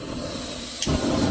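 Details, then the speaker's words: ROVSUN 3-burner outdoor high-pressure propane stove (225,000 BTU, 20 PSI regulator), burners on low: steady hissing roar swelling as the third burner lights, even with no popping or sputter; normal burner roar. "Ooh. Very, very powerful. You turn up on right here, and we're not even at high yet. We're just very low."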